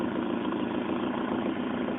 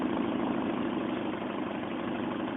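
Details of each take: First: Ford Escort GT with Mazda 1.8 L BP engine, after adjusting the throttle-body idle air bypass screw to cure a stumbling idle that dipped and recovered: smooth, even idle holding one speed with no dips or hunting. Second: Mazda 1.8 BP engine, cold start, throttle body idle air bypass screw being adjusted: idle steady but sags and stutters as if about to die; too little bypass air, so it would stall under load such as headlights, fan or AC.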